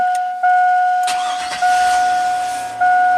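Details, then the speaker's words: 2000 (or 2003) GMC Sierra 1500 5.3 LS V8 with an intermittent crank no-start, oxygen sensor unplugged and grounded. Restarted right after shutoff: brief starter whirr with a steady high whine, then it catches at once and runs. Cause still unclear. "no way it's fired right up it fired right up this is insanity"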